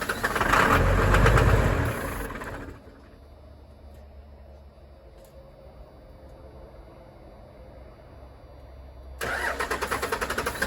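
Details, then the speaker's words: 1996 Dodge Ram 2500 with a 12-valve Cummins, sat seven years. Strong even cranking at about three beats a second that never fires. Bleeding the injector lines and lift-pump lines gave no fuel: lines plugged or no fuel. "so we uh bled the injector lines and didn't get any fluid come through and then we bled uh the lines from the lift pump coming up to the P pump and didn't get anything there"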